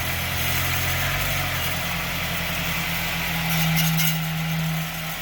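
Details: Car idling and briefly revved with light metallic rattle underneath from a broken clip holding the exhaust muffler piece/heat shield, broken for a couple years.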